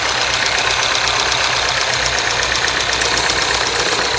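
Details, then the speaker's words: Mini OU08MJO returned after a reported snapped cam chain, idling with bonnet open: smooth, steady hiss and whir, vacuum pump working, no knock or rattle; engine sounds healthy, chain apparently not snapped. "Vacuum pump is working. There's no knock. Sounds good to me."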